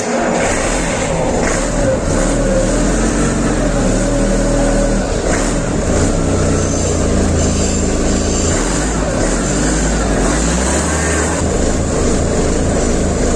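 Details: MAN diesel engine, first start after rebuild: continuous deep running with some revving, smooth and even throughout, with no knocks or rattles standing out.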